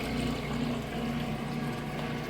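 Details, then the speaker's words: Whirlpool direct-drive top-load washer moving from wash into the rinse cycle, draining through a super long drain hose: even rushing water with a low, steady pump hum and no surges or rattles; normal drain pump operation. "moving out of the wash cycle into the ren cycle draining that water out got a super long drain hose here"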